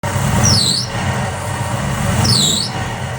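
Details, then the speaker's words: V8 Nova with supercharger: loud rumble with sharp squeals as revs rise from a loose blower belt; tensioner maxed out, fix is fabricating an extended bracket. "So today we have [music] a loose blower belt and that is due to that tensioner just not giving enough tension and that is because it is maxed out."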